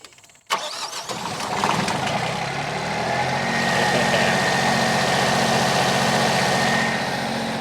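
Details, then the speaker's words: Generac diesel light-plant generator just shut down warm, restarted. Catches within half a second and settles into a steady, even diesel run; normal quick warm restart. "I just shut her down, but I do want to see if it'll just flip right back on."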